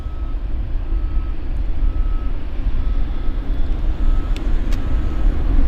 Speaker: That little clicking you're hearing is the interference, electrical interference from the rotating beacon, the radar on the field.